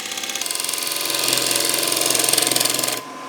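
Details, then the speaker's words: Woodturning a wet, cracked-timber closed-form bowl on lathe, light dressing cut with tool held over the hand: light scraping breaks into fast even rattle about four ticks a second; tool chatter caused by the cracks. "and I'm just going to really lightly dress it those little shutters you can hear is because of those cracks"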